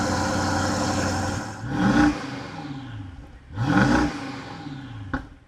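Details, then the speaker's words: BMW 7 Series N63 V8, cold start after fitting downpipes with the catalytic converters removed and no tune: two sharp rev blips over a steady, even idle, with a clean, deep exhaust note and no knocks or misfires. "ცივ დაქოქვაზე ძაან სასიამოვნო ხმა აქვს და სიარულშიც ძალიან მაგარი ხმა აქვ რა"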